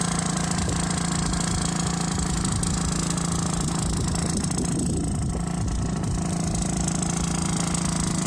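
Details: Aprilia SR50 with Morini two-stroke engine, rebuilt from scratch, test drive: steady idle with raspy, uneven puffing about four beats a second from an exhaust leak at a new spot on the exhaust.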